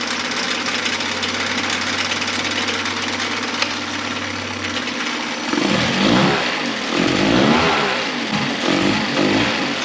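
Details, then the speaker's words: Mercury 9.9 four-stroke outboard after full service (carb kit, water pump, NGK DCPR6E plugs, fuel filter, 10W30 oil): started first pull, pumping water; even idle hum, light throttle bumps, settles back without stumbling; healthy. "so they had to start on the first pool and pumping water perfectly so what we're going to do is just run it for a couple minutes see if it stalls out or anything"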